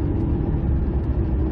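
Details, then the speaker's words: 2005 Ford F-150, 9.75 rear axle, about 116,000 miles: steady low droning, grinding growl while driving, slowing and turning that eases off throttle but persists; worn differential pinion bearing noise, gear noise also possible. "that's how you know it's a bearing noise not just a gear noise you guys are slowing down here and there's no real stress in the gears um it's making the noise even right now while i'm just turning around here you hear something like grind your back like metal on metal"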